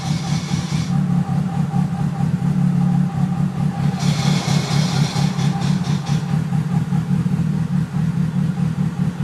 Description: Awful noise after clutch install is this normal??? It only happens when the pedal is pressed.